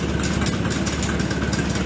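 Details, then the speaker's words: Farmall tractor, warm rather than cold start (it ran the previous weekend, 32°C ambient), idles with a steady, even low thrum and no misses or knocks after starting; the owner says it is not flooding, the fuel just takes time to reach the cylinders. "But once it's started, you can see and hear how it idles 100%."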